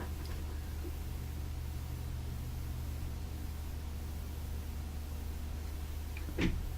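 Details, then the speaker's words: Majestic 5A455 radio turntable motor, rebuilt, on a variac raised from 20 to 45 and briefly 80 volts. Steady low mains-hum buzz with slight vibration; the motor is energized but stalled and not turning. "i momentarily had it cranked up to 80 volts and it didn't turn or anything except make a buzzing sound"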